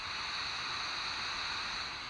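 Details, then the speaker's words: Vintage germanium-transistor AM radio tested in a fringe low-signal area gives a loud steady waterfall-like hiss with no tone underneath; a bad germanium transistor is suspected as noisy, with another possibly weak. "listen to the waterfall bad germanium transistor noisy"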